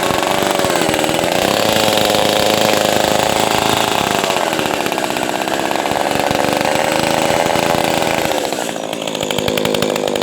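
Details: Echo 280E small chainsaw, first startup after about 10 years unused: revving strong and clean at high speed with a steady, full-bodied deep buzz and no misfire; runs well and idles without stalling.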